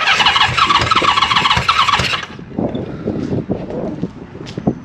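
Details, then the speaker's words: Honda CB550 four-cylinder on a first start. Fires and revs raggedly about two seconds with crisp exhaust bark, then dies; engine starts and runs. "It actually sounded like a running motorcycle. I think with a little help. Come on now! That's nice! That sounded good. That was actually running."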